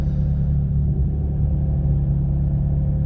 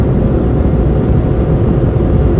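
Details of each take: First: 2004 Vauxhall Corsa C petrol engine misfiring after an engine-bay jet wash and degrease; owner attributes it to the engine getting wet. Deep, slightly uneven rumble while driving. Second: 2004 Vauxhall Corsa C Energy, recently done timing chain, driving up to 60 mph: even steady low rumble with no knocks, ticks or whine over road noise; wheel bearing winds more at speed; engine normal and quiet.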